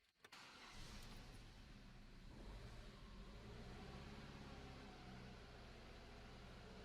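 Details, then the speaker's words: Opel/Vauxhall Astra H 1.8 after new spark plugs and a new ignition coil for misfire and jerking, error cleared: starts cleanly and runs smooth and even under light throttle; misfire gone. "Alright guys, it's running again. Check engine light's gone. I just ran it pretty hard to get it properly hot. Purring like a kitten again."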